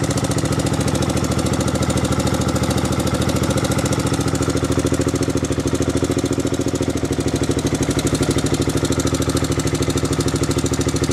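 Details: Before valve adjustment: a steady idle with a quick, even tick of about three per second over the engine, like light valvetrain tapping. Cause suspected, not confirmed.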